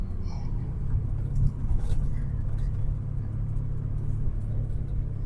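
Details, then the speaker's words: 2005 VW Beetle, sat unused since 2019, driving at about 45 mph: steady low droning growl under road noise, worse turning left, gone turning right; driver suspects a bad driver-side front wheel bearing, possibly behind the ABS light. "goes pretty fast a bad wheel bearing somewhere goes pretty fast though so it gets worse as I turn it to the left and it goes away as I turn turn it to the right and it feels like it's in the driver left side"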